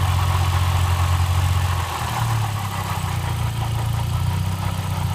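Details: 1999 VW Passat 1.8T at idle: low uneven idle drone that wavers and dips partway through, with a faint hum above it. Cause unclear.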